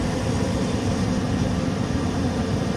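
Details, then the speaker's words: Mr. Heater 30-60,000 BTU propane forced-air heater at 19 degrees, lit after one restart, electric fan on an extension cord: a constant deep burner and fan roar with no surging or sputtering. Running normally. "biggest drawback gotta have an extension cord it runs the fan so you'll need power for that"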